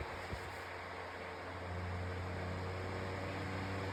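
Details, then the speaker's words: Retro metal fan on low speed: a steady low hum with a soft airy rush and no rattle or wobble, sounding like a vintage fan; it runs evenly and healthy. "There's low speed. So I do love the sound of it on low. As you can hear, it sounds almost like one of those vintage fans."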